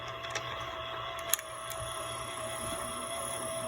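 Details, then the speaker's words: c1964 Stuzzi reel-to-reel with a replacement motor driving through a gear: a faint steady whir with a thin tone. Gear noise is much quieter than before but still audible because the motor spins fast, so removing the gear is planned. "not as quiet as this one but the motor is spinning pretty fast so we definitely need to get rid of that gear"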